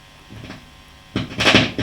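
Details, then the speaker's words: Marshall JTM45 MkII model 2245 guitar amp with popping and buzzing after a few minutes warm: faint pop, then loud crackling burst when a blue wire to V2 pin 9 is lifted, then quiet; dry solder joint. "notice that this wire here is very sensitive if i lift it up you hear that whoa whoa that is not right"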